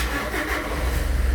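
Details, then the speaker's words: Fuso Canter diesel truck with rising coolant temperature gauge (thermostat removed and refitted, mechanical sensor already swapped), in neutral: short crank then even, deep, steady diesel beat; starts cleanly and runs normally. "Andar naman, maayos. Revolution natin. Walang galaw."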